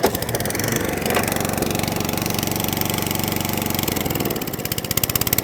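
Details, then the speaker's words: Atco Balmoral 20S cylinder mower, old Suffolk carburettor with bottom mixer jet: lumpy, uneven running, speed sagging and recovering, kept alive only by working the choke; suspected fuel starvation. "So I'm having to manipulate the choke to keep it running."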